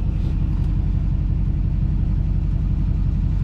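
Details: 2007 GMC Sierra LBZ Duramax diesel after a turbo replacement; low, even diesel rumble at a steady idle, about two beats a second with no misses or whistle, running normally.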